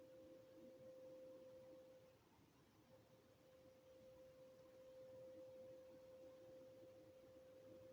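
A single steady mid-pitched tone holds unchanged through the whole clip over faint background noise; a distant industrial hum, source unknown.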